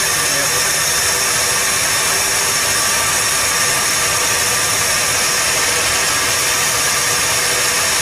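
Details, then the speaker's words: 1978 Dodge D100 after sitting almost 20 years, first run after distributor adjustment: steady, even idle with no misses or knocks under vacuum-leak hiss; running properly. "sounds pretty decent right there definitely has some vacuums i can't believe this runs dude that blows perfectly it's idling so good"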